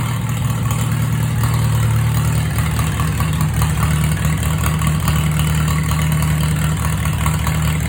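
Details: Farmall H tractor after rear gearbox PTO, bearing and drive unit replacement, new gas tank and rewiring, started on a recharged battery without choke: steady low-pitched rumble with an even beat and no knocks or misses, settling into a smooth idle.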